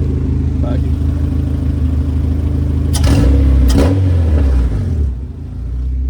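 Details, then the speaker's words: Honda EK with a swapped-in B20 four-cylinder on an open header, now running after a Denso MAP sensor cured start-then-stall: steady, even low rumble with quick blips, no misfire or knock; sounds healthy. "yeah, should run. Sounds healthy."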